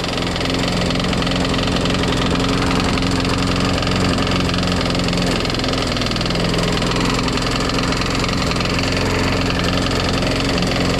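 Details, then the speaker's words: Craftsman Eager 1 mulching push mower after a carburetor change and priming: steady low drone with an uneven, lumpy beat, smoking, no blade scraping; owner hears a possible knock; running rough, cause unknown. "sound like it has a knock in it though oh yeah you sound like you got a knock in it it's running kind of rough kind of smoking I mean it's sound bad but it actually doesn't look too bad it sounds rough though"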